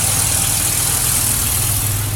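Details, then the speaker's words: 1995 Ford Explorer 4.0 OHV V6 at idle: deep even rumble with a faint light valve tick from the top end; the owner's main concern is a separate noise from the oil pan area under the truck. "This is a 95 Explorer 4-liter overhead valve. You hear the valves ticking? That's not the concern right now."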